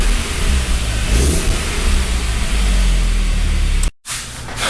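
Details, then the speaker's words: MK1 Audi TT just after head gasket job, run briefly without coolant: engine catches and holds an even, steady rev with smooth low drone, no knocks or misfires; timing appears correctly set, running clean. "we finally got it up and running and it sounds good so timing sounds like we put it back into place everything seems to be okay"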